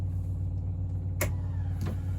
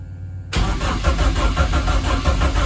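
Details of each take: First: BMW E30 rally car with swapped-in M44 engine, ignition on before first start: steady low electric drone with light clicks, no engine running, as lift pump fills the swirl pot and high pressure pump primes normally. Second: BMW E30 rally car with swapped-in M44 engine, first start attempt: even steady starter cranking with no firing or catching; cranks but won't start, and an unplugged ECU connector was found later.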